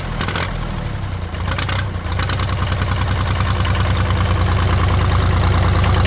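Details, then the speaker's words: International 284/285 4x4 diesel tractor revived after sitting, fluids not yet changed: deep even clatter at about three beats per second, growing slightly louder, no misses or knocks; runs well, white and black smoke attributed to ATF. "I'd say it runs pretty good. All that white and black smoke is definitely from the ATF."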